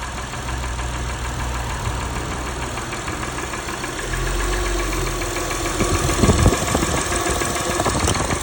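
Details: Engine ticking at idle on its third oil change with Valvoline Restore & Protect and a Purolator Boss filter: light, rapid ticking of about three per second over a rough idle with the A/C on. Cause not pinned down.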